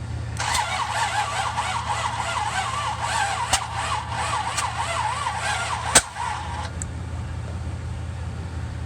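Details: 1966 Buick Riviera GS with rebuilt heads, battery jumped, starter fluid sprayed into carb: steady cranking with no firing, just a couple of sharp backfire spits from the carb; cranks, no start.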